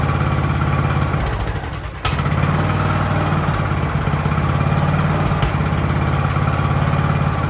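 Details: Ariens hydrostatic-drive riding mower, sat at least two years, in neutral with the drive belt disconnected, about 30 degrees out: brief dip and catch, then an even, low-pitched putter at steady idle with no stumbling; normal idle.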